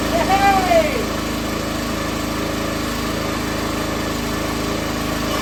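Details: Cheap log splitter repowered with a brand-new minibike engine that has about 2 minutes of run time; steady, even buzzing idle with no knocks or misfires; normal idle.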